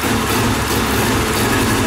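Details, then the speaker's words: Pressure washer small single, cold, on half choke; low uneven lumpy idle barely holding on; idles too slow while cold, fine once warm, raising idle would make it too fast when warm. "See, that seems like a really low idle, right? But when it's warmed up, it's fine."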